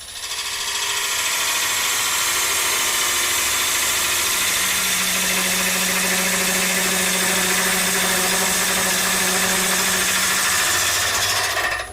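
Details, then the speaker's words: Wood lathe turning an ogee bowl on a screw chuck: steady hum with a harsh buzzing rasp from tool chatter caused by pushing the gouge harder than needed. "that noise you can hear is because I'm pushing the tool a bit harder than I need to"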